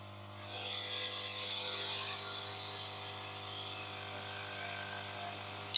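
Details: Yihua 968 DA+ III soldering/desoldering rework station on full power, case open: steady high hiss with faint ratchety buzz from the air pump and resonating cables, no knocking; cables being tie-wrapped to reduce noise.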